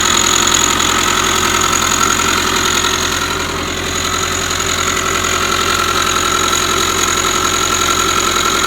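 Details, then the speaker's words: 2005 Subaru Forester whose earlier timing belt change was done incorrectly, at idle: a steady whirring whine with light rhythmic rubbing about three times a second, located inside the timing belt cover. A failing timing belt tensioner or idler pulley bearing suspected. "So, what they tell you, the timing belt tensioner or an idler pulley or something inside of there is making all this noise."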